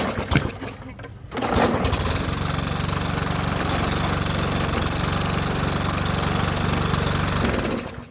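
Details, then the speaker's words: Old lawnmower starting on a new spark plug after the old electrode was bent touching: it catches and runs fairly smooth, but the exhaust is loud and raspy because the muffler has been wrecked for 6 months to a year. "Now it sounds like shit, but that's because the muffler is wrecked. The muffler's been wrecked for 6 months or a year."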